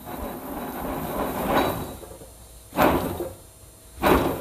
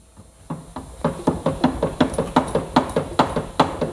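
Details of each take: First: Old wheel bearing from a Subaru Forester, removed after loud road noise and held in a vice, spun by hand: rough, gritty rasping bursts and stiff rotation, a worn bearing grinding, unlike the quiet new bearing. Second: New Subaru Forester wheel bearing hand-spun in a vice runs quiet, with only light clicking about two to three times a second from the vice itself; bearing replaced because road noise was getting worse and worse.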